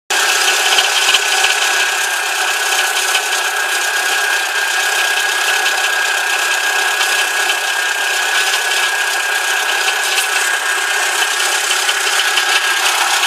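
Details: VW Corrado G60 petrol engine idling with a thin busy metallic rattle and loose knock; rod bearings suspected, not confirmed.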